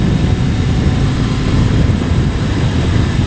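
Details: Kawasaki ZRX1100 at a steady cruise around 4,000 rpm: a deep, smooth engine drone with no buzz or rattle on top. This is after finding and fixing a loose screw, identified as the headlight adjuster bolt, which had caused the 4k rpm rattle.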